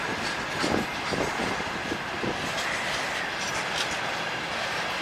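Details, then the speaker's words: Russian freight train hauled by electric locomotive, heavy loads: most wagons roll past quietly with soft even hiss and light rail clatter, no repeating wheel knock, unlike one wagon whose brake pads clamped its wheel; these run normally. "А так вот все вагоны, в принципе, едут тихо, мирно и нормально. [аплодисменты] Вот, слышите, ребята, тихонечко едут."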